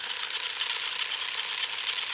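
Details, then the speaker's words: Tamiya Super Sabre RC chassis gearbox run on battery after motor install: smooth, high, even whir without grinding or catching; gears meshing fine. "we're going to check the gearbox before we put it in right no grinding our drive is spinning nice"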